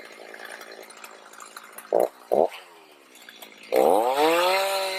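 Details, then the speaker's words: Stihl MS310 chainsaw after a no-start repair needing no parts, carb adjusted (four-stroking rich, LA screw set), oiling well: clean low idle, two throttle blips, smooth climb to steady high rev without bogging; running normally, cuts slowly in hard cedar, likely from dull chain and high rakers. "She'll cut a lot better, but she's running like she's supposed to, and that cedar wood is extremely hard."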